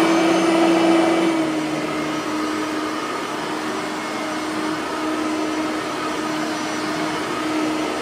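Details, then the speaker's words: Bissell 3510-9 (9 amp) upright vacuum, bearings freshly greased, set to low on lower carpet; steady high drone that sags in pitch as the head settles, motor sounding a little strained on the low setting. "even though I don't think this one is accurate with the uh carpet we still got to put it on low yeah that's gonna sound a little strained"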